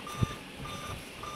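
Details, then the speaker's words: Dell Inspiron N5040 laptop at startup. Thin high beeps repeat in a continuous 3-beep code about every 0.6 s over quiet room hum, with no display on screen; the cause is not confirmed. "तीन बप तेरा ही है और रेगुलरी continuous give दे रहा है ये screen के ऊपर इसका डिस्प्लेस शो नहीं हो रहा तो यही प्रॉब्लम ए रही है"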